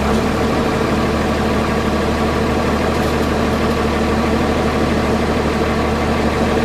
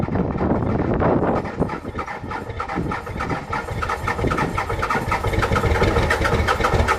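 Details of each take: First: Cummins diesel just started at the same cold temperature with grid heaters disconnected but block heater plugged in: steady cold idle with an even low rumble and no misses or stumbles, a little smoke; normal cold idle. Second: Cummins diesel cold start in freezing weather with grid heaters disconnected, camera at rear of truck: lumpy, uneven clatter settling after starting, engine clearly not happy; rough cold idle without grid heaters.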